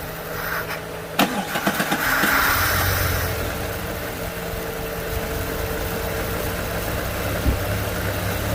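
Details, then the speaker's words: 2004 Jeep Grand Cherokee WJ that stalls and dies at idle, started after cleaning. Starter cranks in uneven bursts before catching, then a slightly unsteady idle settles; hard start, possibly from flooding. "I think the reason it was kind of hard to start is it might have been just flooded."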